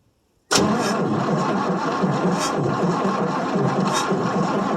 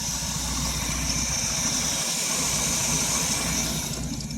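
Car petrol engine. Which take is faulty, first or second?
first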